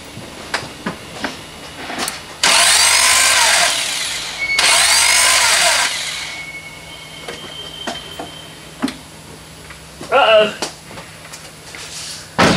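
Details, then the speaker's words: Chevy Cobalt rebuild, cranked to check timing after tightening the pulley with covers off: two short starter bursts and the engine never catches; distributor cap had been left off. "something is right something doesn't sound right okay uh now I know what's wrong remember on the very first step we did we took off the distributor C to see if uh if the if the uh cam was turning I forgot to put it back on"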